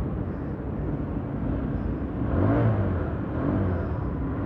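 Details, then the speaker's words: Old Honda CBR inspected before purchase, engine started: settles into an even idle, then a short rev blip picks up quickly and drops back smoothly — normal idle and rev. "dengar aja suaranya kalau suaranya agak ada degdek degdeknya gitu kalau masih a nyala itu sebenarnya standar sih"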